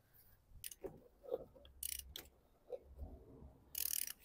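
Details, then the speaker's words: Nissan Qashqai 2016 1.2 turbo petrol, engine turned slowly by hand during timing chain replacement: loose, irregular metallic clatter and ticks with each movement, chain with no tension from worn tensioner and split guide; timing chain slack rattle. "how easy it is for the chain to jump, because it's just rattling. It's like no tension whatsoever."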